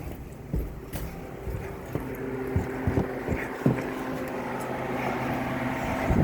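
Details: Copeland compressor making noise and cutting off: steady low fan drone with a faint hum and a few knocks as the compressor drops out while the condenser fan keeps running.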